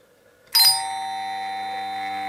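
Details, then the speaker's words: Doorbell chime on AC mains, coil electromagnet pulls plunger while phase applied: a single clean bell strike ringing out and decaying slowly in a quiet room; normal chime (reused unit smokes if left energized). "mucha precaución de no tocar nada cuando yo le doy fase tenemos el típico sonido del timbre"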